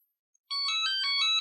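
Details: Scooty R12 hoverboard being repaired for a blown capacitor and a battery that won't charge, switched on with the battery disconnected: short rising melody of clear electronic tones, about a second long, the normal power-on chime.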